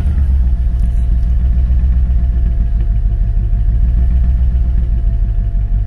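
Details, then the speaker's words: Forgotten barn-find Mercedes AMG at idle, first start: heavy, uneven lumpy low rumble from a big compression loss, attributed to a blown head gasket. "il y a un gros manque de compression VO cette voiture elle a un gros manque de compression déjà"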